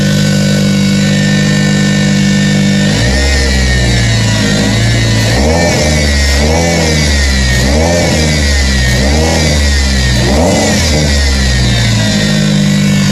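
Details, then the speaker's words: Engine just fitted with new 842 mm alternator belt and intake elbow, in neutral: steady idle then several clean revs rising and falling smoothly with no belt squeal or chirp; engine and belt healthy. "Alright, sounds like, as you guys can hear, that he is alive."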